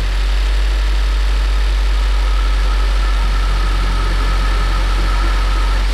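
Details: Ford Focus III ST 2.0 EcoBoost 250 hp after repair of low compression from a damaged piston: steady, even low idle with no misses, knocks or ticks; engine sounds healthy and settled.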